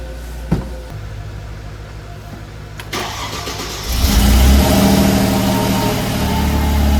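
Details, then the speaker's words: Mercedes-AMG supercharged V6 (RaceIQ/Moscow-supercharge kit: upgraded intake, 82mm throttle body, 550cc injectors, 175mm crank pulley, 65mm supercharger pulley), cold start at about 41°F; catches quickly into a strong, steady fast idle, normal startup. "When we installed everything, I talked to Tony, and he said it just needed a few warm starts before, you know, every startup is going to be normal. So that was a pretty normal startup."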